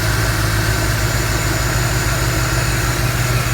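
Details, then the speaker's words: Engine idling after owner installed a new water pump and belt; the earlier belt squeak was blamed on a slightly cracked pulley. Steady, even idle with a smooth low rumble and no chirp or squeal. "So right now everything runs great. Don't have any problems with anything. No squeaks."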